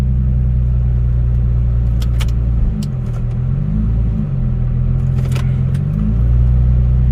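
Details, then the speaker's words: 2008 Nissan 350Z V6 after repairs: smooth, deep idle with a couple of light blips that rise and settle cleanly, with no stumble; check engine codes are cleared and have not returned, leaving only an ABS code. "but all the check engine light codes went away and it hasn't came back car's running better than ever"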